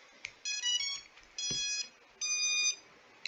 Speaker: as you can hear, there's no multi-beeps, there's no spinning, anything. So the little glitchiness for the ESCs has been taken care of.